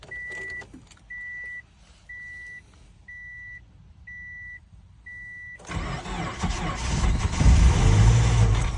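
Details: 2007 Subaru Forester 2.5XS in extreme cold: six even warning chimes, then a long, strained crank that swells in loudness as the engine struggles to fire; extended cranking on a hard cold start.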